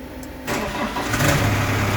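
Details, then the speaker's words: Deutz 2.9 L four-cylinder diesel in a Genie S45 boom lift: cranks, catches and settles into a lumpy, uneven idle; misfire from dead cylinder 3, fault code injector current below normal or open circuit. "he said injector cylinder number three current below normal or open circuit"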